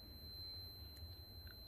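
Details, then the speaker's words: Multimeter continuity test on a fuse: steady high-pitched beep held unbroken, reading 0.0 ohm; continuity confirmed, fuse intact. "người nghe tiếng tít tít thông thông đúng không"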